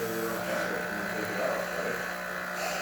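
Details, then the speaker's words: Espresso machine after full service for no power and overheating: pump refilling the boiler with a steady even buzzing hum, no surging or rattling; normal operation. "working great machine is filling up the boiler as you can hear the pump"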